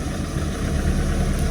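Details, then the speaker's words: Ford Escort XR3i rough runner idling after a cold start: deep, steady idle holding its speed on its own with no stumbling or dying off, having struggled at first; normal idle. "But as you can see, even though it was kind of struggling, it started and it's running"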